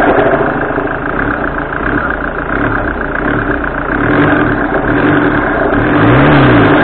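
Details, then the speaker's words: 2008 Citroën C5 138 hp automatic, after coolant hose and alternator work; revs up and drops with warbling low hum on throttle release; pulleys and belt checked fine; owner suspects intake circuit with air box removed, unconfirmed. "Alors il est possible que ça vienne, que le bruit vienne de la boîte à air, enfin, du moins de l'absence de boîte à air, donc du circuit d'admission d'air."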